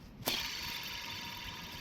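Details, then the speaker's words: 2005 Chrysler Town & Country at 326K, belt tensioner removed during engine service and spun by hand: a knock, then a dry, gritty grinding rasp as it coasts down. Worn bearing; tensioner and idler are being replaced. "It's harder to I promise you it grinds and makes noise. Maybe you heard that, maybe you didn't. It's not good. Um, so those are junk."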